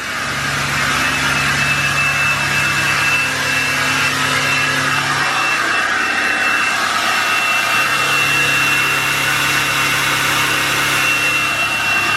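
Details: 2020 Duramax L5P diesel with Stealth 67 turbo, factory actuator transferred, high idle enabled: steady diesel clatter under a constant high-pitched turbo whistle, slightly higher-pitched than before; normal jet-like turbo whine.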